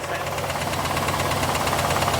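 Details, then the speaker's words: IROC Camaro V8 idling, heard through a stethoscope on top of the valve cover: fast, even valve train ticking that gets faster but not louder as revs rise; louder, more pronounced tick at the engine block. "Can you hear it ticking? Now listen, that ticking's not really going to change. It's just going to get faster when I do this."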